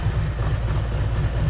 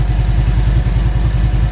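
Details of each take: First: Motorcycle that sat outside for a year, new battery a week earlier; deep even thumping idle with steady beat, no misses or stumbles; running real smooth, normal idle. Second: Motorcycle that sat outside for a year, first start; low lumpy beat with uneven, slightly stumbling rhythm, didn't seem to want to start up fully and was sketchy at first; hesitant running after long storage.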